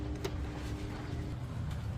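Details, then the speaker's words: Electric fan switched on at speeds one, two and three only hums steadily with no whoosh of turning blades, motor energised but stalled; fix is replacing the whole armature. "Yan guys oh. Pansinin niyo siya gumagalaw. Ayan number two. Ganon pa rin. Number three yan. Umuugong lang siya."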